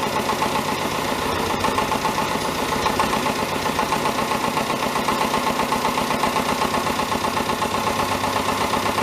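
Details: David Brown 1490 diesel tractor idling on its first run after an engine rebuild: a light, fairly regular tapping about four a second. Owner suspects a fuel injection knock; injectors are out for reconditioning.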